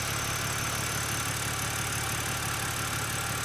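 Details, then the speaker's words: BMW Z4 Coupe, N52 engine, warm at normal temperature gauge: smooth idle with only a faint lifter tick left. The tick is much less prominent now that the lifters have warmed up and adjusted; short, infrequent drives cause it. "as you can hear the uh tick is definitely not as prominent as it was before that's because the lifters have been warmed up and now they are adjusted properly"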